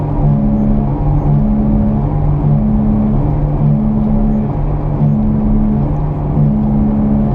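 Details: Car driving: low droning growl from front or rear wheels that swells and eases as the steering is turned left and right while driving.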